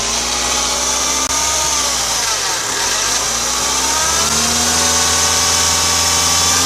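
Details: Audi A6 C6 2.0 TDI (BRF) diesel at idle: wavering, pitch-drifting whine from a worn belt guide/deflection pulley bearing (03G145276A); alternator bearings, alternator pulley, belt and tensioner were replaced before without curing it.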